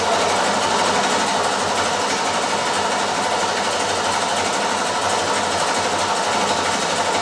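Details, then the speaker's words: 1967 Ford Mustang 347 V8 with an oil leak, coil wire removed to crank and build oil pressure: even, steady churning crank that never catches; normal cranking without start. "But first, what I'm going to do is I'm going to remove the coil wire so it won't start. So, I can crank it for a while to u fill the oil pump."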